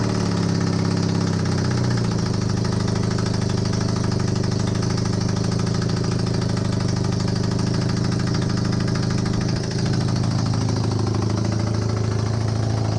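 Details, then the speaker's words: Honda CB250N Superdream twin project bike with new spark plugs, on partial choke, powered from another bike's battery. A steady low idle with an even, slightly lumpy beat and no knocking, holding idle. Normal idle; large front oil leak. "watch this i'm just so bloody happy right now finally we got some life out of it"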